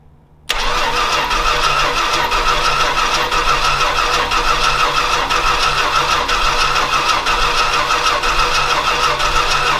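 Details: Old Stewart & Stevenson aircraft tug with a vacuum hose hooked up and plenty of fuel getting through: a fast starter churn with a loose, uneven beat of about three per second; the engine turns over but never catches.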